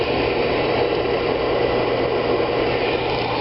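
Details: Oil furnace restarted with reset button after running out of oil and bleeding the fuel line; constant steady roar of burner flame with no sputtering or pulsing, flame visible; firing properly, normal oil burner operation.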